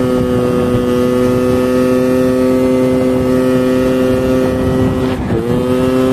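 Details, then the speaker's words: 139QMB scooter with LeoVince muffler just repacked with dish-scrubber pads after it sounded partly blown out; steady, even drone with a bright, slightly metallic ring holding pitch smoothly, running cleanly after the repack. "Skaņa izmainījās, skaņa ir tā kā metaliskāk vairāk."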